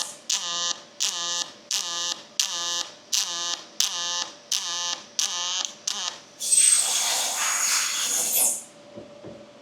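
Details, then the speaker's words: Fronius robotic MIG welder: regular crackling weld bursts about every 0.7 s, then a continuous two-second hiss; vertical-down and horizontal joints are programmed with different speed, wire feed rate and amperage, horizontal taking more heat, so they sound different; welding normally. "So you can actually hear the sound difference. So the vertical down is programmed at a different speed and a different feed rate than or temperature, right? Like different amperage than the horizontal."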